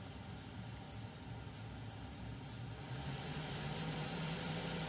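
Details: 5 kW Chinese diesel heater after fixing hard starting from a weak battery and a pump problem: steady low combustion roar with a faint rising hum and even pump tick once lit, smoking a bit; normal running.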